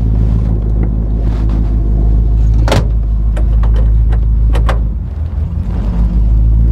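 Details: Chevy Impala with a 283 V8 and two-speed Powerglide: steady, even low burble with no knocks or misses, just a few clicks around it; the engine sounds healthy.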